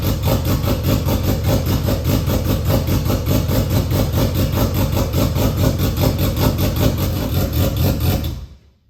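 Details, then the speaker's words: Nissan RB25 in an R33 drift car, new 6Boost turbo manifold fitted, first start with no dump pipe on the turbo outlet, revved: loud raw pulsing bark rising and falling with revs; exhaust dumping straight out of the turbo. "It's going to sound like a massive exhaust leak, considering there is no dump pipe."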